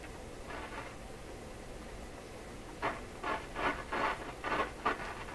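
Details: Florida AM/FM/SW tube radio on shortwave, volume full, radio upside down: quiet hiss broken by uneven scratchy crackle bursts about twice a second. Scratchy, weak reception, same as on AM; cause not yet known.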